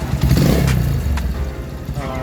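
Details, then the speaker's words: Honda Mega Pro Primus, around 2010, after repair: owner had valves replaced three times in a month due to worn cam chain, tensioner, tensioner rubber and lower cam sprocket, now replaced; single-cylinder idle even and steady, no top-end rattle or ticking, engine smooth. "Guys, mesinnya udah halus ya, mesinnya udah oke, mesinnya udah oke, dan mesinnya sudah untuk bisa buat riding lagi, dan untuk konsumsinya bisa untuk pakai untuk sehari-hari dengan normal."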